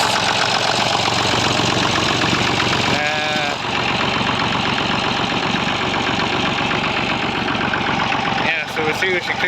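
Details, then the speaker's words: Massey Ferguson 35 diesel after overhaul, idling before warm-up: steady, even clatter holding one speed with no hunting or misses. Still smoking a bit, but the fuel glass bowl no longer pulses as it did before. Normal idle. "still smoking a bit I want the crack is there now but she's running much much nicer if you remember before it was was uh pulsing in the glass bowl"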